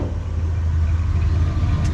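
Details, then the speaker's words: All-original 1976 Ford F-250 Custom V8 with Flowmaster exhaust at idle: steady, even low rumble, no belt squeal, no exhaust manifold leaks; smooth, healthy. "running nice and smooth. No belt squeal. Zero exhaust leaks on this."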